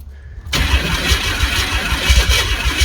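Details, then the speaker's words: Ford Ranger that had sat a long time, with gas poured down the intake: silent cranking, then the engine catches and runs rough at fast idle; fires on primed fuel, fuel pump suspected. "uhoh ohoh she runs hell yeah we might be able to make something happen here guys we might be able to make something happen we just got to get fuel up to it"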